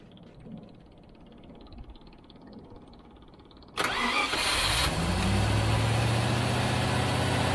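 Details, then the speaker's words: Range Rover (Lincoln Green) first start, freshly serviced ignition, fed from a jerry can not the tank, no alternator output: short crank then fast steady choke idle; stalls off choke, owner judges mixture too lean. "right so let me wait it's gonna have to run with the choke on it's obviously running so lean that it can't run without the choke"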